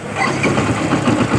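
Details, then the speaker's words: Yamaha Byson after starter motor brush replacement and a Honda Supra starter bendix substitute, voltage dropping only to about 11 V when cranking: brisk, even starter whir, engine catching and settling to idle, no dragging or clicking; normal electric start. "Kita coba starter. Normal. Sekali lagi."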